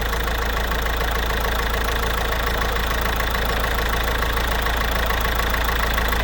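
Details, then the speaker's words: Citroën C4 1.6 HDi diesel at idle: steady beat with a recurring stumble when the number 2 injector connector is touched; misfire from loosened connector pins, to be tightened and treated with contact cleaner. "Quand on touche un peu le connecteur, on va le voir le moteur varier."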